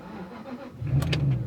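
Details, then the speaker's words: 1999 Jaguar XK 4.0 V8 after crank-no-start issue: brief crank, then catches at once and settles into a steady, angry-sounding low rumble with a very noisy exhaust; engine starts cleanly. "yep straight away it fired up and then drive like that I'm just going to take it for a little spin just make sure that everything works listen to it it's pretty angry sounding"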